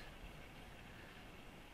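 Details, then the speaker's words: Mercedes W201 V12 swap on a VEMS ECU, output test before first start: cooling fan switched on from its ECU channel gives a quiet, even airy whoosh, no ticking or rubbing; the fan works normally. "is my cooling fan so you can hear the Sam what you can hear it and I can do the other one yeah it's also working now in this channel"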